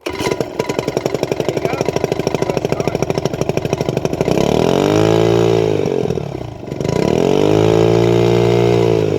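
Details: Honda 2.3 hp outboard just after a carburetor cleaning, started on choke at full throttle, then throttled down. Fast, even firing at high revs, then the revs drop smoothly and hold steady; normal running.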